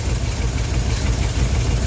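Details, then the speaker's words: Older car or truck with a vacuum-advance distributor, idle after an ignition tune-up, timing set by ear without a timing light before advancing it: low, uneven, stumbling beat; rough idle from retarded ignition timing. "I'm sure you can probably hear it's still a little stuttery."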